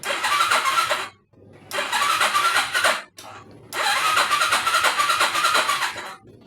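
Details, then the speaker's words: Skydrive motorcycle electric starter cranking three times, each whirring and fading without catching; starts easily on kick starter, starter motor and battery not weak; mechanic blames the CDI's start function. "Nah, kalau di starter susah ya penyakitnya nih, Bos. Penyakitnya itu isi start. Isi startnya dia enggak mau hidup ya."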